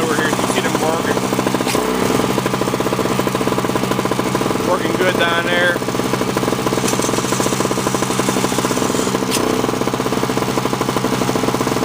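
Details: 2003 Sears Craftsman two-stroke snowblower after sitting two years; clogged fuel filter, intake gasket replaced, spark plug seized in head. Fast, crisp buzz held steady under auger load, no misses, surging or knocks; normal smooth running, windy outdoors.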